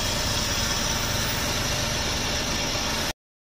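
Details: Suzuki DA64V van after a crank-no-start: petrol engine runs smooth and even with a steady, hissy note, no misfire or knock.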